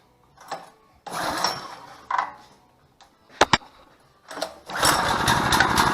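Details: 6.5 hp gas engine on a portable hydraulic power unit (13 gpm two-stage pump, 2000 psi); a few sputtering start attempts, then catches and runs evenly and busily; normal running.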